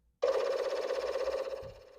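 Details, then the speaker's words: Commodore 4040 disk drive connected to an 8296 PET by a PET-to-IEEE cable under test: steady mid-pitched power-up hum about two seconds that fades evenly; drive responds and catalog works, cable good. "the drive makes its magical noise all right we'll type in catalog and it worked"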